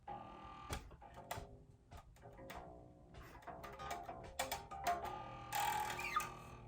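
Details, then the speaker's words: New Fender American Performer Mustang short-scale (30") bass before setup: hard-plucked notes with a sharp metallic snap at the attack as the string slaps the frets, a flatulent fret buzz, distinct from a separate rattle. Finding: fret buzz. "right here I can make the string uh hit the Frets if I hit the string hard enough that's fret buzz that that you know flatulent sound you heard"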